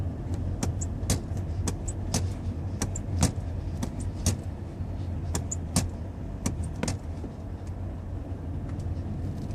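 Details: 2016 Toyota Prius while driving: irregular sharp clicks and ticks about once a second over low road rumble, a recurring brake noise with no known cause.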